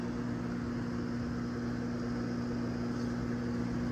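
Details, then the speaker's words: Outdoor AC condenser unit of a rental home that stopped cooling, before repair: loud, steady droning hum with strong low tone and no cycling. Pressure drops only to 188 and will not go lower. The compressor has failed prematurely. "压力有没有变化？压力是有变化，但这个好像是压缩机的声音啊。哦，压力下不去了。压缩机的问题，压力下不去了。压缩机坏了。"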